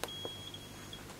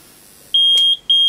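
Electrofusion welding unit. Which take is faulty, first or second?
first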